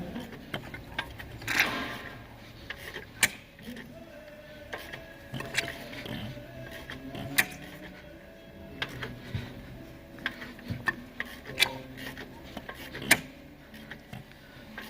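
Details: Mercedes M276 V6 with fault code P002177, idling: uneven metallic jangle and sharp clicks over a thin busy idle; timing gear rattle suspected, not confirmed.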